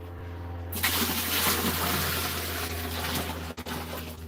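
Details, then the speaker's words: Boat bilge pump being tested live with about two gallons poured in: steady low motor hum under splashing water as it drains and discharges outside; pump running fine. "I hear it running. You can see it running."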